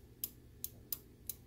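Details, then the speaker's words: GE microwave not heating, after replacing the failed door sense switch whose button stayed recessed: five crisp, sharp clicks as the cam is pressed, now clicking where before it wasn't; switch actuating normally. "now it's actually clicking whereas before it wasn't"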